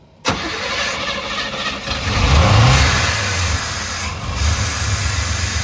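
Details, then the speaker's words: 305 Chevy V8 running on a two-stroke KX250 dirtbike carburetor on a homemade intake: catches and revs unevenly, ragged and surging, while the carburetor spills fuel everywhere. "All right, well, as you can tell, she ran. Now, it was puking fuel everywhere,"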